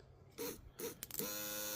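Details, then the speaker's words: Aftermarket 4–7 psi inline electric fuel pump for a Suzuki Samurai, bench-tested before wiring in: two short buzzy bursts then a steady high hum; new pump runs normally. "Alright. It hums, so it does work."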